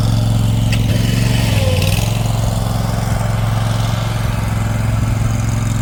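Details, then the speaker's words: Toro Titan HD mower, with a new fuel filter and fuel line: steady, even low thrum at constant speed, no misses or knocks; running normally. "It'll send fuel up through that new fuel filter and that new fuel line, get it up into the carburetor, and it should fire right up pretty quickly. Alright, so let's fire it up."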